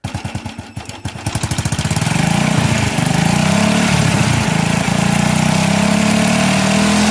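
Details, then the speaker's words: Older Honda Wave 110i with hard starting and cutting out when revved, charged battery fitted: slow pulsing idle rising smoothly into a steady hum when revved, no misses; charging checks normal, about 13 V at idle and under 14 V revved. "จากที่เห็นก็จะเพราะว่าการชาร์จนั้นอยู่ในเกณฑ์ที่ปกติดีขณะเร่งเครื่องไม่เกิน14โวลท์ขณะเดินเบาอยู่ที่ประมาณ13โวลต์แสดงว่าเป็นชาติดีอยู่ครับ"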